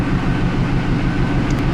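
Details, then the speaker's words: 2000 Trans Am V8 being diagnosed for P0171. A test light bulb is fitted on one bank, and at idle it stumbles with a lumpy, uneven thump. There is an audible misfire, the O2 sensor reads very lean, and fuel trims rise. "and you can definitely hear the misfire and you can see here going very lean on the O2 sensor"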